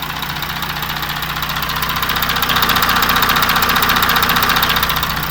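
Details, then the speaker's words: Audi Q7 4M 3.0 diesel CVMD 2016, about 170,000 km: steady even tapping two or three per second heard over the engine at idle, higher-pitched on the side opposite the oil filler; knock, timing chain stretch being checked, cause not pinned down. "Так, обзор на тему стуки в моторном отсеке Audi Q7."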